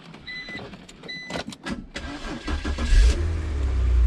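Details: BMW X3 with M54 engine, after crank-no-start roadside breakdown was fixed (battery/fuse related): clicks and rustling, then engine catches quickly and settles into steady, even idle, a clean healthy start.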